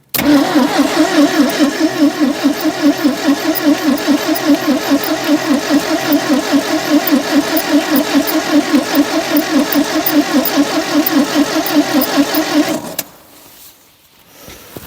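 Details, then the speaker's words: 1972 Triumph Dolomite 1850 barn find, off the road since 1990 (34 years): steady starter cranking for about twelve seconds with no firing at all; crank no start, owner suspects no fuel reaching the engine, later confirmed as a fueling issue. "well no joy not even trying I don't think there's any fuel in there"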